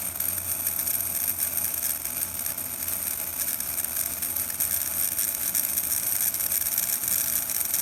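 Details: Atlas U25B N scale model locomotive motor running with a thin, high-pitched, harsher-than-normal buzzing whir, louder with the body shell fitted; the source of the noise is unclear.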